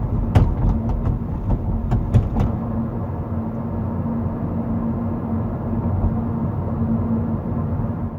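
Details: 2019 Kia Proceed GT driven over uneven road: sharp irregular rattling clicks from the trunk/tailgate area, with or without the rail system; backing out the tailgate rubber buffers stopped it, and replacing the tailgate lock fixed it.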